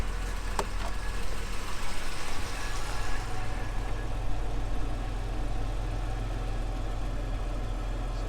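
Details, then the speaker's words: 1978 Jaguar XJ6 Series 2 barn find after bleeding cooling system: steady, even low rumble at about 800 rpm idle, no knocks or misses; engine running smoothly. "seems like we might have fixed something there so as you can see it's running lovely now sitting taking over lovely"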